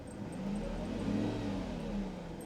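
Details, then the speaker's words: Mercedes S600 V12 near end of repair work: smooth blip, pitch climbs cleanly and settles back with no knocks, rattles or misses; healthy engine. "you hear that man she sounds so good legend likes it too he's over there checking out the sound love it"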